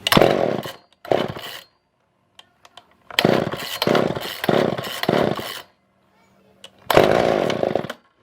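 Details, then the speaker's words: Older Poulan 2000 chainsaw, unused for a long time, choke on: catches in roughly one-second bursts, sputters and dies each time; suspected poor fuel pickup, later fixed by carb clean and shortening a tangled fuel line. "oh my gosh so yeah so i don't think that we are getting any kind of fuel any kind of real good fuel pickup"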